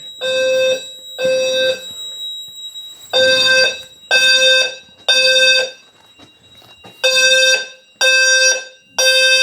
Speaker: so we'll start our walk around the Sounder strobe here is good this ceiling mount strobe in the fire panel room is working